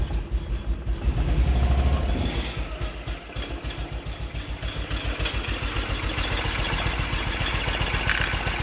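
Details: BMW Isetta, start after front suspension work, with a little choke: after a rough catch and rev it settles into an even, regular low putter of about three or four beats a second. Normal idle.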